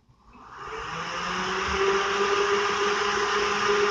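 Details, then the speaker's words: Car electric cooling fan, tested for overheating at idle, powered directly across relay socket prongs: spins up over about two seconds to a steady even whir, no rubbing; fan, wiring, fuse fine, suspect relay or temperature control. "yeah I hope that you can hear that cuz the Fan's working just fine okay so that tells me it's not the fan it's not the wiring it's not the fuse"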